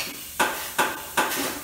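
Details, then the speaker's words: Hunter 3700 air-powered tire changer adding air, with 32 psi the target: three sharp knocks about 0.4 s apart with a hiss of air as the inflation pedal pulses air into the tire. This is normal. "and that's that noise you hear the knock knock knock that's it adding air pressure"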